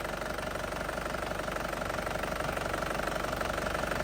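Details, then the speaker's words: 2010 Panther Grand Touring diesel, warm idle: steady, crisp, even clatter with no misses, no shake, no smoke from oil cap or dipstick; characteristic Panther sound indicating a healthy engine. "Terus suaranya masih pulen banget, masih renyah, itu masih suara ciri khasnya Panther lah, itu menandakan mesin sehat."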